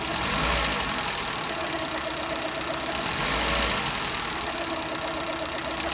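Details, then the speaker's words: Suzuki Eeco with overheating and misfire, light revs: uneven clicking about four per second over rough idle, an ignition coil sparking to the body causing misfire; fan cycling normally, radiator leaking coolant. "but if you hear the engine you'll hear click on and off i'm sure you'll be able to hear it"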